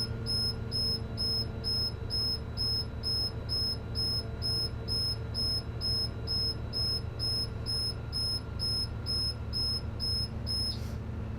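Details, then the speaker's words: School bus pre-trip air brake check: low-air warning alarm beeps steadily about twice a second below 60 psi while the diesel is revved to 1500 rpm to refill the tanks, stopping as pressure rises past 60 psi. Low air pressure warning alarm. "needle gets to 60 the low air warning light and alarm should come on and there it is"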